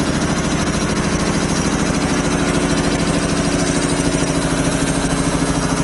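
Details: 25 hp single-phase air compressor, loaded with a valve open bleeding the 120-gallon tank from 150 toward 100 psi: even pumping thump about three beats a second over a firm hum; normal loaded running.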